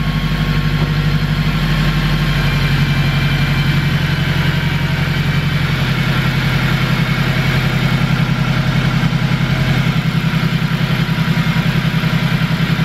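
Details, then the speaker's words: K20-swapped Civic EK hatch, first start after fitting a modified original throttle bracket and cable: smooth, even idle with steady low pulse around three and a half beats a second, no ticks; quieter than before, healthy engine. "Sounds good, right? That thing's a lot quieter. good sign."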